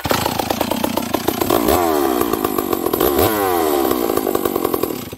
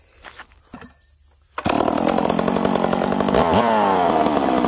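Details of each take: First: Cold old Stihl 038 chainsaw with high compression: runs rough and blubbery and sags between throttle blips, loaded up with fuel; low-speed jet too rich, turned in slightly. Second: Old Stihl 038 chainsaw, warm, after leaning low-speed jet: catches at once and settles into steady idle without rpm sag; hard-start issue fixed.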